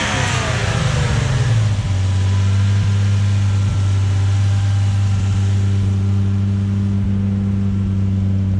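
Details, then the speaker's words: Car with a dead turbo and a small exhaust leak, not yet warmed up: a short rev falls back to a steady low engine drone with no turbo whistle or spool. Failed turbocharger. "today I would like to introduce you a sound of wasted turbo that's durable cow sounds a dead Turbo sounds like that"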